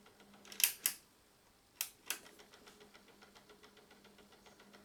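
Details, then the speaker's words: Sony LBT-D107 cassette transport knocking: a few loud clacks then light quick steady ticking, with or without a cassette, in either deck but not in pause; owner suspects the mechanical auto-stop or gears hardened with age, possibly the take-up drive. "возможно он так стучит возможно тут были мягкие шестерёнки когда-то которые со временем стали жёстче и появился стук"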